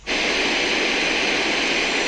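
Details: Bluetooth speaker FM radio scanning without the USB cable serving as antenna: steady even hiss, no station or voice coming through.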